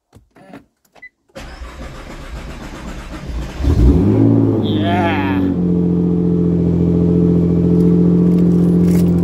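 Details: 2018 Nissan GT-R after a new battery install: starter whirs briefly, engine catches and flares, then settles into a steady, even idle with no misses; normal start and idle.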